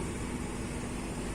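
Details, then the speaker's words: Renault Scénic II phase II heater blower after replacing the failed resistor/control module and reassembling: steady, even rush of air with a low hum, no squeal or ticking. Previously dead fan now runs normally. "on va essayer la ventilation qui marchait plus, donc magie. Ah, ça c'est bon ça. Ah, on l'entend bien. Eh ouais, ça c'est très bon."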